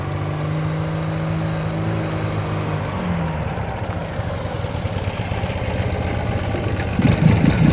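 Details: 2009 Ural Sahara Limited Edition 2WD sidecar, carbureted twin, under 9,000 km, kick-started without enrichment shortly after running, chilly day: even, low putter at idle firming slightly toward the end, no tapping or misfire; healthy.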